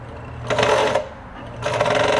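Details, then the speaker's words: Kenmore 120.761 sewing machine (early-1960s, made by Chrysler's New Process Gear division): strained, heavy motor drone under the stitching clatter as the motor labours against a rock-hard rubber drive tire; a possibly incorrect FAF-type bobbin is also suspected. "Oh. It's got a rubber drive tire that's all rock hard. That explains why the motor sounds like it's working hard."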